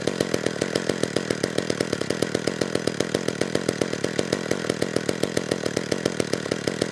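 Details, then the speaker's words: McCulloch Eager Beaver 2.0 CID chainsaw after carburetor cleaning, air filter fitted: steady fast buzzing with soft burbly edge; filter richened mixture, low-speed jet needs leaning. "i think adding that air filter richened things up too much so that low speed jet has to be brought in a bit"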